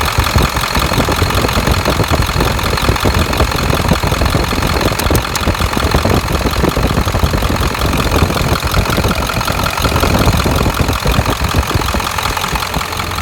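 Steady diesel idle with a fast, even tick running through it and keeping pace with the engine; cause not pinned down yet.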